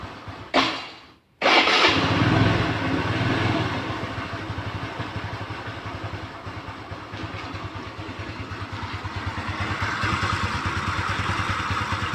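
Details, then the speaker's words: Kymco Easy scooter after a new-stock camshaft was fitted, fixing the earlier krek-krek idle noise near the CVT: fires up cleanly, settles into a smooth even idle and revs freely with no ticking or rattling; normal idle and revving. "normal sekali specnya tidak ada suaranya aneh-aneh CVT nya sangat normal halus adem berada suara yang aneh"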